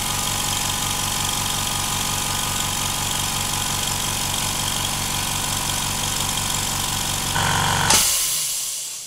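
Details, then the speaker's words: Implotex whisper compressor (rated 55 dB) with small hose muffler, filling tank past 2 bar, cutting out at 8 bar: steady even low thump about four times a second; runs normally, fills quickly. "Wir haben jetzt schon 2 Bar drauf. Er füllt sich sehr schnell."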